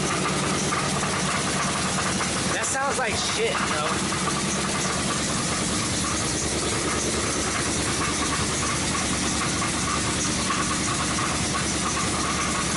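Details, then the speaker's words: 2005 Chrysler 300C 5.7L Hemi after a rebuild: loud, rough V8 idle with an uneven knock; sounds like rod knock, owner suspects around cylinders five to seven, cause unknown. "you hear that that sounds like a fucking rod knock and for what reason is knocking i have no idea so"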